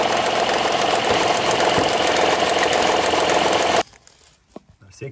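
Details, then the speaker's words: 2016 Honda Pilot III J30A9 V6, cold engine, timing cover open: fast even knocking about 3.5 per second at idle as the roller jumps on a faulty timing belt tensioner; knock disappears once warm after 2-3 minutes. "То есть сейчас вот, если сюда подставить отвёртку плоскую, стук пройдёт полностью. Что ролик, видишь, прыгает."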